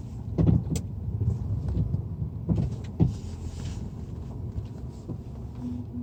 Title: Стук подвески